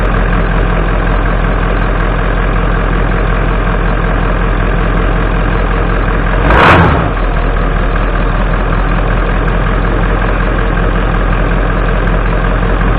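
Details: 1996 Ford F250 7.3 Powerstroke diesel warming up after a cold 30°F start following 2.5 years sitting, before an oil change; deep steady idle rumble and clatter, one brief louder blip midway, idling normally.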